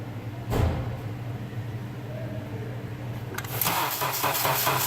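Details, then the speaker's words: 2005 Honda Accord 2.4-liter 4-cylinder, hard-starting complaint, battery recently replaced, during voltage drop testing: sluggish, labouring crank that never picks up pace; voltage drops and accessories fine, failing starter motor. "So I'm pretty confident that we just had a starter going bad."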